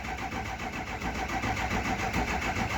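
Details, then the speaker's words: Diesel cranking after oil cooler, EGR cooler, dummy plugs and STC fitting work, four gallons of oil in it; slow even pulses about 3.5 per second, no catch; owner suspects low batteries — slow cranking. "We're just gonna crank it for a little bit. It's gonna take a minute for it to start. Sounds like the batteries are a bit low."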